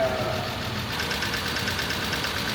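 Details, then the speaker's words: 1994 Acura Legend LS on its second start after head gasket, timing belt and water pump replacement, and after replacing an intake air temperature sensor damaged by cleaner: uneven idle with a light tick and occasional stumble. A misfire is suspected. "yeah it sounds like it might be missing though a little bit well that was sounding pretty rough on that second start"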